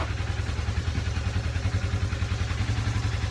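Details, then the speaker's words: Polaris RZR that sat for a year, with fresh oil and a new battery: fires right up and settles into a steady, low thumping idle, about 200 pulses a minute, with no misses or knocks. "see if it starts shits got a brand new battery and fresh oil oh yeah fires right up"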